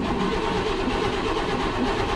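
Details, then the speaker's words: Long-parked Chevrolet Blazer that kept dying when last driven, started after a long crank; rough, heavy running with a dull knock in the clatter, undiagnosed, a diesel swap planned: engine knock on start-up. "oh no oh my god that was a long one uh yeah you can hear the knocking she's not she's not doing good"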